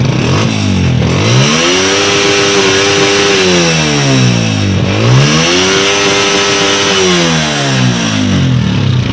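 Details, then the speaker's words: Honda CG 125 (2025 model) after refitting the carburettor and fixing a half-raised choke: repeated clean blips climb smoothly to high revs and drop back, taking full throttle with no misfire or stutter. "Bike की मिसिंग का प्रॉब्लम हुआ था वो अब सॉल्व हो चुका है। Motorcycle full accelerator ले रहा है।"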